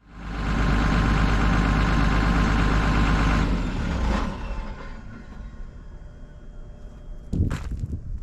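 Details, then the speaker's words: Excavator diesel after exhaust manifold replacement: strong, even note under throttle with faint turbo whistle heard in the cab, now making boost and revving more responsively, then easing to steady idle; smoke is cosmoline burning off the manifold. "you don't have to worry about that smoke that's that cosmoline burning off the manifold like i predicted but it sounds great you can actually hear the turbo whistling now in the cab so it's actually making boost and seems like the engine revs up more responsively"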